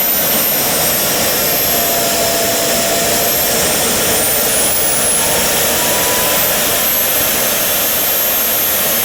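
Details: JetCat RC jet turbine after repair of starter clutch, worn bearings and deformed NGV causing blade rub: auto-start completes, steady high-pitched whine with even rushing roar, no surging; idle exhaust temperature under 500°C, stable healthy idle.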